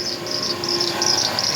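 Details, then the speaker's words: Chevy Tahoe barely starting with the battery drained and battery light on, engine idling: a loud, high chirping squeal pulsing from the belt drive. The tensioner, idler pulley or alternator is suspected; the alternator is not charging (11.5 V) and something smells burning. "Something's making noise. I don't know if it's a tensioner, an idler pulley, or if it's the actual alternator. Something's wrong."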